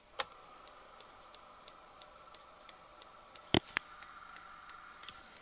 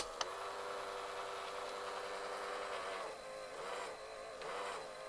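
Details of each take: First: AIWA TP-724 vintage portable open-reel tape recorder on 12 V bench power in play mode; light, even ticks about three per second over faint hum, like something hitting the flywheel; thought to be a sticky spot on the belt. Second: AIWA TP-724 portable open reel tape recorder on 12 V bench power during repair: even, quiet motor whir, reels winding steadily with lots of torque, no drag or slipping. Normal fast forward.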